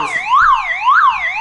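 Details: Old car alarm siren keeps sounding on its own backup battery after its wires are cut; loud two-tone warble sweeping up and down about twice a second, during the process of disabling the alarm and removing the horn.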